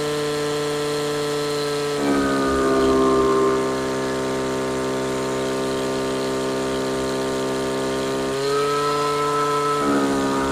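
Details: Stihl FS55 RC string trimmer held wide open, pitch dropping into a burbling four-stroke when rich, then rising as the mixture is leaned out; trimmer had shaft binding from a wrong-length housing screw.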